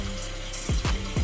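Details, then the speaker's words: Toilet after replacing a faulty fill valve that made flushing shake the walls; flush gives a short rush and gurgle, then quiet even refill with no banging, humming or vibration. Normal flush and refill. "i'm about to flush this to see if i hear any loud noises let's see perfect perfect"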